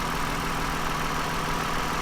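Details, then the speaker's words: 2009 Toyota Highlander, 276,480 miles, after swapping ignition coils to clear a cylinder 2 misfire: even, steady idle hum with no stumbles or uneven beats; running smoothly, no misfire evident. "This is the highest mileage vehicle I've ever owned. Actually runs pretty smooth, quiet."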